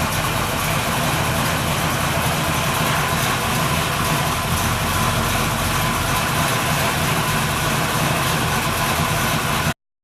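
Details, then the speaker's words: Freshly built 383 Chevy V8 in a 1964 El Camino, early start-up: deep, lumpy, throaty idle with steady beat and no knocks or ticks, a little noisier than hoped but normal. "now it is a little noisier than I was hoping for but that's okay got a nice throaty sound to it so"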